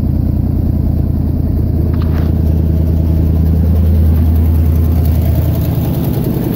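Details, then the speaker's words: 1977 GMC K15 V8 at idle: low lumpy idle with steady puffing pulse about three per second from an exhaust leak at the front. "hear that exhaust leak there you go headlight there you can hear that exhaust leak the front there"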